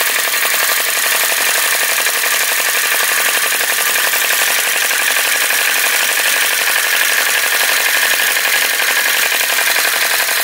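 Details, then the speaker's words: Flame Licker Flame Gulper VE-01 Crossbeam vacuum engine with added drive pulley running accessories after wick pulled out for more flame: quick steady ticking chuffs over airy hiss, no stumbles; running evenly, working hard, fine adjuster tuning. "okay hey it's running it see if I can just adjust that a bit more it's working hard you can hear it working hard very fine adjustments make such a big difference"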